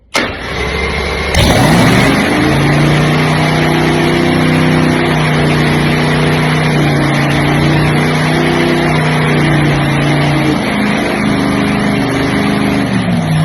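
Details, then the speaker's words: Early Hemi blown nitro Top Fuel V8 with Enderle injector and Vertex magneto, first start on gasoline: loud lumpy idle rising and settling as linkage idle screw is turned; clean, healthy normal idle. "And you could hear it coming up and down as I'm turning the screw, the linkage screw."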